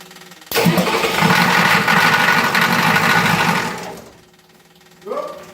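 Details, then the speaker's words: 1986 Ford F250 diesel just after fuel pump install, on a chilly day after a short glow: short crank catches into a lumpy, uneven diesel clatter for about three seconds, then dies; owner suspects more glow plug time needed; starts then stalls. "Well she started, and then died."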